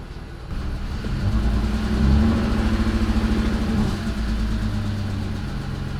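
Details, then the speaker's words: BMW E46 330i, first start after overhaul with new intake manifold and CCV parts: revving up and down with an uneven, lumpy, stumbling beat; fault codes show cylinders four, five and six misfiring, cause not yet confirmed. "so cylinders four five and six are misfiring"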